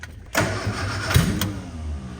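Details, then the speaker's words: 1967 Austin Healey Sprite after years of neglect: starter cranks about two seconds with uneven pops, fires briefly but won't keep running; suspected wrong firing order from swapped spark plug wires. "so it seems like maybe maybe the firing order is wrong so maybe these plug wires were switched around because it it goes to start but it's not completely engaging"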